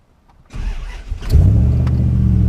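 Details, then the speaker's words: 2000 Dodge Dakota 4.7 after replacing the camshaft position sensor and clearing the code: it had cranked strongly but wouldn't start the night before. Now a brief crank catches within a second and settles into a steady idle; starts normally. "Perfect. Alright, all the gauges look good. Seems to have fixed the problem. Like I said, last night it wouldn't start."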